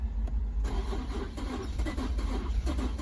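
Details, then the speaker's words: 2015 Infiniti Q50 that shut off while driving, new spark plugs didn't help: steady starter churning with no firing; crank no start, scan data showing cam timing about minus 20, timing jumped. "They throw some spark plugs. It didn't help. It cranks, and it's not firing."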